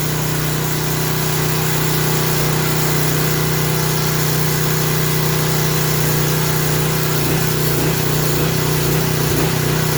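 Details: Craftsman 3000 psi pressure washer engine running unloaded after carburetor reinstalled, steady drone hunting slightly; surge expected to stop under water-pressure load; oil thought to have been overfilled to the top of the dipstick.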